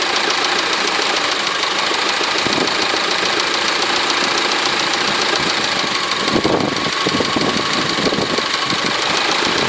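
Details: Honda 4D engine at idle: fast steady sharp metallic ticking knock throughout; knock inside the engine, cause unknown.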